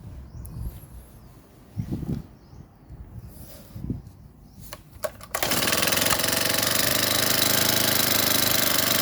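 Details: Honda GX35 four-stroke brushcutter after replacing a broken valve rocker arm; after some fumbling and a pull it catches and holds a steady, even high buzz with no misses, running healthy.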